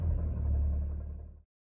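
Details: BMW 335d with M57 diesel: steady, deep idle rumble with no knocking, then abrupt shutoff. Ticking mistaken for rod knock or a bad injector was traced to a bad AC compressor by cutting the AC belt.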